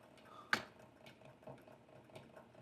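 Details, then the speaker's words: Cobra Class 5550BB boot top leather sewing machine stitching in a quiet room, a sharp isolated click every second or two over soft stitching ticks; needle clicking, owner suspects the new needle, fitted after a recent break, needs rotating slightly. "So anyway, I'm going to see if I can't pick up the pace without screwing up, but you can hear that clicking noise. I think I need to rotate my needle a tiny bit."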